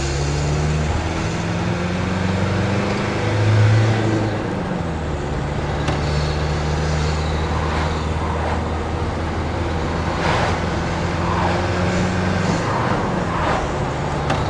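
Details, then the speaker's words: 1988 Mercedes T1 207D camper van with swapped-in CDI diesel, road test: low steady drone under road and tyre noise at cruise, no knocks or whines; drives and stops straight, comfortable, not overly noisy; normal diesel cruise. "Drives in a straight line. Stops in a straight line. It's nice and comfortable in here. It's not over noisy."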